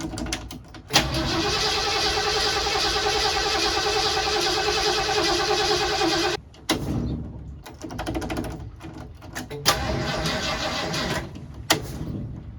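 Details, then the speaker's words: 1979 Ford Bronco under restoration: steady cranking about five seconds without firing, then stop-start bursts; red wire run to fuse box cut fuse-box power while cranking, so it only tried starting after key off; starter/ignition wiring fault. "albert ran the red wire to the fuse box now when i crank it it it cuts the power of the fuse box until i turn it off then the power goes to the fuse box so that's why it's trying to start after i shut it off essentially"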